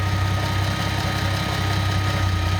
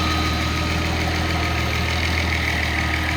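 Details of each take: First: Nissan L28ET turbo engine with a Ford idle air control valve driven by a VG30ET controller: fast, busy idle with steady low drone and no dip as the idle air valve is left fully open, holding revs high. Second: Nissan L28ET turbo engine with a Ford idle air control valve driven by a VG30ET controller, warm with AC on: even, steady idle around 800 rpm with a smooth low drone, no dips or hunting; normal idle.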